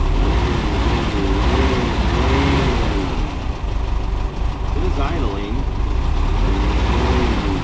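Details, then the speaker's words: 1981 air-cooled VW Vanagon idling, no temperature sender fitted yet: steady low rumble with an even, unhurried beat and no knocks or misses; idle is where it should be and pressure is good. "idle's where it's supposed to be. Our pressure's good."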